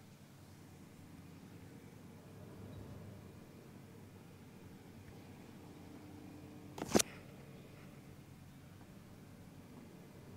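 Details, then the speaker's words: PC with Be Quiet! Dark Rock Pro 4 cooler on Intel i7-9700KF, MSI Z390 board, idling after the ticking fix and reassembly, mic moved around case; only a faint steady low fan hum, no ticking, one brief click. Normal fan noise. "so essentially just get a low fan noise that no water will ticking now"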